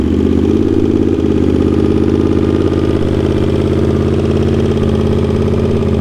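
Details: Honda GL650 at its first start after a full rewire: steady, even V-twin idle with a smooth low thump and no knocks or ticks. Stock headers with a crossover run into a merge and Cone Engineering muffler. Normal idle.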